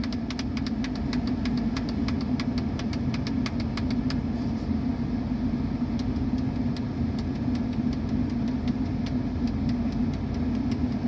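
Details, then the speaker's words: Mercedes-Benz E230 at idle, after the faulty A/C control module was replaced; auto mode on. Even idle with light regular ticking about three times a second over a steady hum; the A/C system runs normally. "ชัดเจนนะเสียงการทำงานปกติทุกอย่างนะครับ"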